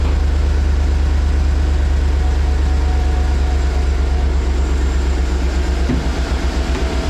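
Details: 2012 Chevy Tahoe LS 4WD after replacing the idler and tensioner pulleys, which had play and made noise at startup and idle: deep, steady V8 idle with an even rumble and no squeal or belt pulley rattle; normal idle.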